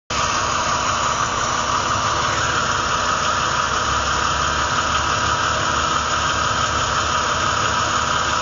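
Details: Ford BA Falcon 4.0 L Barra 182 six, using Castrol Magnatec 10W-40: steady low idle with a dull, diesel-like knock; owner suspects cam phaser or oil type, oil samples show no wear metal; cause unconfirmed.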